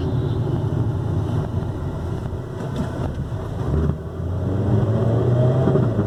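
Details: Ford Focus, front: low, uneven thumping like a rattling can that grows louder as the engine revs up, caused by a broken engine mount.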